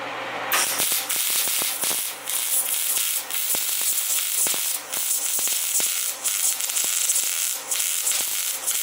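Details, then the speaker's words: MIG welding for a Cummins swap into a Ford truck, metal rusty and not ground clean: harsh crackling hiss with irregular pops and brief dropouts instead of a steady sizzle; spatter from dirty metal. "I don't think in here that in the welder or like sputters and spatter that's because I didn't clean the metal good enough I didn't grind it down enough and give it a good enough surface"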